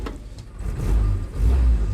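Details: Willys jeep, 1943-style, four-cylinder, six-volt electrics, tight engine: short low rumble as it catches and revs twice, smooth and steady; healthy start.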